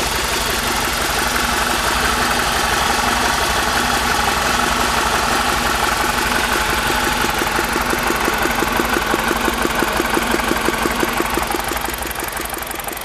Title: e46 318i Motorgeräusche